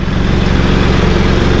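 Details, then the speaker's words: Generator on a flatbed semi truck running while driving to charge the batteries after the truck's alternator failed, truck also running: steady, even low hum with constant beat and no knocks or misses; generator running normally. "So generator still putting along. Truck's running."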